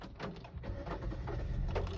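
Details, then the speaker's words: New Hyundai Aura CNG taxi that would not start because the fuel cap was left off; with cap refitted it cranks briefly, catches and settles to a steady low rumble; normal start. "झाली चालू. तर fuel cap लावणे खूप जास्त important आहे."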